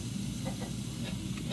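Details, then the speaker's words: Package unit with a recurring leak, charged with dry nitrogen to about 250 psi: a faint steady hiss of gas escaping through a crack along the compressor shell seam, which opens when the compressor runs hot. Unit swapped out. "so once we went ahead and jacked this thing up on pressure I started hearing a little hiss"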